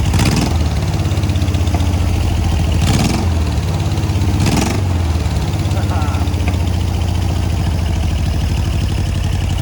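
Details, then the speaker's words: Air-cooled VW 1600 dual-port flat-four in a sand rail, during an oil leak search: a steady low idle rumble with a light, quick valve tapping riding over it. It sounds better than before. "Hear the valve tapping. Sounds better though."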